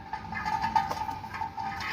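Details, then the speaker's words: Mahindra Bolero front brake while driving: thin high scraping squeal with irregular chirps that keep changing, from a stone trapped in the disc dust shield cover, unlike steady bearing noise. "ये देखिए जब भी पत्थर फसे ग ना आपकी हर बार हर आवाज चेंज होगी बेरिंग की आवाज नहीं चेंज होती"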